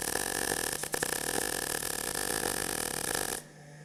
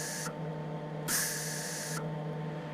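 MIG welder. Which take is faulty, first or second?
first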